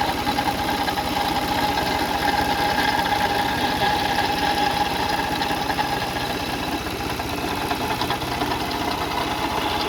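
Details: 2004 Toyota Sienna engine at idle: loose, uneven rattle, about a couple of beats a second, source not yet found; pulleys, serpentine belt and timing belt being checked. The timing belt later snapped while driving. Cause suspected, not confirmed.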